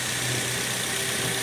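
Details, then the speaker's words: Toyota Vios gen 2, previously very noisy with oil warning light, after cleaning sludge-clogged oil pump strainer and oil pan; steady, even quiet idle, no knocking or metallic rattle; normal. "A normal o yun ang normal tahimik walang kalansing yan"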